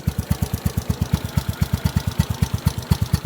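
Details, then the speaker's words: 2015 Honda Wave 125i bored to 143cc, nearly double stock power, rev limit 10,000 rpm: even deep raspy exhaust pulses at idle with light tinny rattle, possibly inside the aged pipe; normal. "as you can hear this thing's pretty kind of raspy and raar and aggressive especially in the lower RPM"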